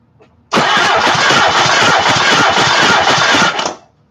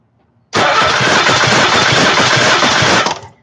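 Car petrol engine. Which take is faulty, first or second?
first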